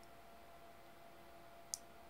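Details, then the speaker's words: XL6012 boost converter module at 12 V input, about 40 V and 1 A output, running very hot: a single sharp small click over a quiet room hum, marking its maximum output limit. "so when it clicks that's the end so this is the maximum that we can get with 12 volts input very hot with one amp it's already hot"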